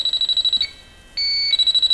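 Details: Viking Professional wine cooler with three copper evaporator coils: fast high-pitched beeping from the leak sniffer merges into a solid tone near a lower sweated joint, indicating a freon leak there; soap-bubble test to pinpoint it next.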